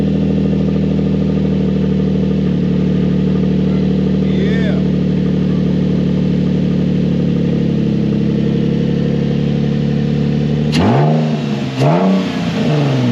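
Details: Nissan 350Z with a swapped VQ35DE, second start after refitting parts for a test run, no exhaust fitted: loud, raw, steady unmuffled idle with a couple of quick blips. Runs fine.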